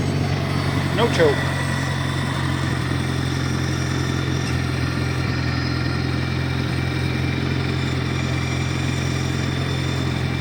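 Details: 1953 Farmall Cub tractor idling after refilling low hydraulic fluid (about 40 oz NAPA tractor hydraulic transmission fluid): steady even low idle, smooth rumble, earlier high-pitched squeal gone; normal idle.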